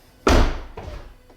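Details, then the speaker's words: 2015 Tesla Model S door at −19 °C, closing after a sticking-door problem cleared up (owner unsure whether it was temperature related): one solid thunk as it latches cleanly, with no rattle or glass scrape; normal door close. "all right well yeah the door seems to be working fine now"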